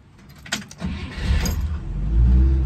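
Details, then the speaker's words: 1960 Rambler Super, 196 cu in overhead-valve six-cylinder with a three-speed manual, starts right up and settles into a low, smooth, near-silent even idle; healthy start. "starts right up like that idle so nice you don't even hear it running"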